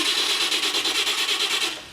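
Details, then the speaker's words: 1948 Chevy Fleetmaster starter after cleaning commutator bars and moving a brush back to cure slow, growling cranking; quick, even pulsing crank at about seven beats a second holding steady speed, turning over normally and clearly better than before. "Will it start? Better. Definitely better."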